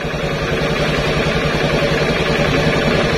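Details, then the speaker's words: Honda Beat carburetor scooter after fitting a safety kill switch on the pulser wire: with switch off, ignition on, engine starts and idles normally, a steady smooth drone with no knocks or misses. "si saklar posisi off kunci kontak kita hidupkan motor hidup normal"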